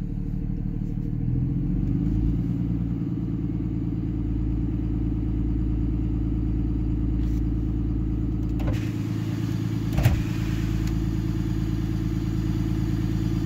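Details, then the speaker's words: Diesel engine with Banshee VGT controller and exhaust brake on, warm (around 180°F), at high idle: deep, steady drone, smooth and even, turbo whistling up slightly while exhaust pressure is held; normal running. "I don't know if you guys can hear the turbo, but you hear it whistle up a little bit."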